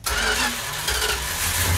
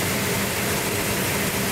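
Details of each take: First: 1972 Plymouth Duster 340 V8 with 4-speed at first start after build, on choke. It catches and runs lumpy and uneven with low stumbling thumps; ignition timing is too far retarded and needs advancing. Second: 1972 Duster 340 4-speed, first start on a cold day with the choke held and the distributor being set: a loud, rough V8 burble settling into a steady idle with no misses or knocks. Sounds healthy.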